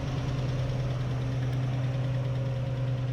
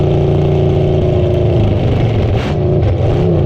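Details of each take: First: Neglected old car engine being revived and fuelled to run: steady idle with a light, quick tick about three per second over the engine hum, a valvetrain tick; owner suspects a bent lifter, not confirmed. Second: Old revived car engine fired up after sitting, oil, Marvel Mystery Oil and PB put down the cylinders, burning off smoke; fires and revs up and down in smooth swells with steady firing, then shuts off; sounds good, normal running.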